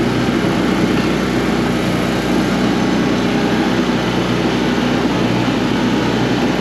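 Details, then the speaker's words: Coleman Powermate PM800 generator, Kawasaki 4-stroke (about 78cc), rated 600 watts. After tightening the carb and adding fresh gas, with the choke off and a light plugged in, it drones steadily with no surging or hunting and runs good. "So, yeah, runs good."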